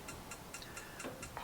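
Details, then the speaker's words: Crisp, evenly spaced igniter clicks, about four a second, as the Charisma 550 caravan's automatic-ignition gas fire lights normally with the gas knob turned to about 5 and held down. "This particular fire is automatic ignition on gas. So when you want to use it on gas, all you have to do, make sure your gas is turned on at the bottle, take your gas control knob, turn it around to about 5 and you'll hear a clicking."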